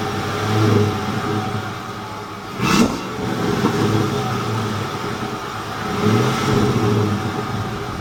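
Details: 2007 Ford F150 5.4 3V V8 after ticking noise fixed: idling and revving up and down cleanly with no tick; normal idle.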